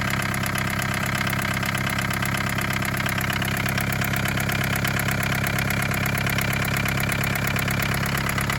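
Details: 1981 Isuzu Pup diesel (C223) after sitting 4 hours, started holding the glow relay: steady clatter at idle with a slightly uneven knock about 170 per minute; rough idle, air bubbles seen after the fuel filter suspected.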